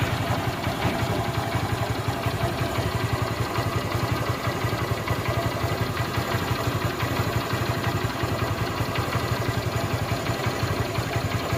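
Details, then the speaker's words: Motorcycle after a full engine rebuild; steady low idle thumping with no knocks, ticks or rattles, and silencer smoke reduced. Normal idle. "బండి super అయింది friends మీకు engine sound వింటే మీకు అర్థమైపోతుంది"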